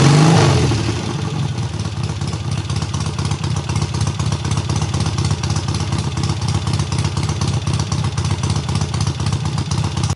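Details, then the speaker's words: Triumph hardtail restarted after its first start, engine having sat on the workbench almost a year; clutch not yet disengaging fully: loud even exhaust of about four pulses a second after a strong start, no misses or knocks; runs cleanly. "what you guys saw in that last clip was the bike actually fired up unlike the second or third kick which is freakin ridiculous for you know it being basically not started and the engine sitting on my workbench for almost a year so super awesome runs really good"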